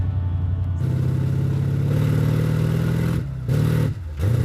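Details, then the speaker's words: 1960 Chevrolet El Camino on its first road test in 30 years: deep, even pull rising through the gears with a clean shift into second, no knocks or misses; healthy engine. "Engine's dolled up, running pretty good. Well, it's rolling. First time on the road in 30 years."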